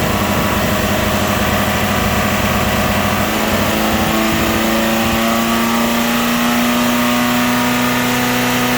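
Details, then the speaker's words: Saturn S-Series with rear-mount turbo, first start: idle climbs after a few seconds and hangs high and steady, running too high like a vacuum leak, with fuel smell from an untightened fuel line. "smell fuel, and it's running too high like there's a vacuum leak."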